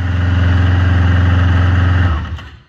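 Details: 2016 Yamaha Venture Multi Purpose, 499 cc four-stroke, after oil and filter change: smooth, even low hum at idle for two seconds, then a clean wind-down at shutoff, no oil-pressure-low warning; engine sounds healthy.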